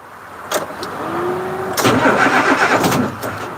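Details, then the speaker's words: 1986 Ford CF7000 5-ton rollback, Brazil Ford 6.6 L diesel, warm: starter turns in weak, uneven bursts and the diesel never catches; failed cranking, owner thinks the batteries are shorting or old. "So I think the batteries are shorting, or they're old."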